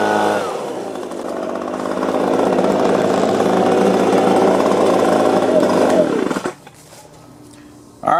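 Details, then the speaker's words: Echo two-stroke leaf blower, started on choke and missing its air-filter back plate, picks up from idle to a steady high buzz, holds it evenly for several seconds, then shuts off; it runs normally. "so we got uh the echo going"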